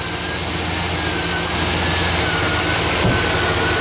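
Steady, even V8 idle rumble with no light valvetrain ticking riding on top; the engine idles healthy.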